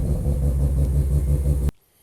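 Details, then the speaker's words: Mazda RX-7 FD rotary idling warm after new AEM IGN1A smart coils and ignition harness fixed faulty fender harness wiring, coolant clamps tightened; deep steady rumble, even pulse, no misfires, premix smoke cleared, then shut off; running well. "arc sevens all done everything seems to be running well let it warm up and shut it off"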